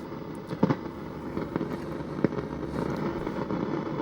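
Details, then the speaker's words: Precedent stereo radio, after alignment with the signal generator removed: random sharp crackles and pops over a steady hiss from the speaker, caused by a noisy mica capacitor; not too bad at the moment. "you know what we got there. We got a mic cap. But we have a noisy micer."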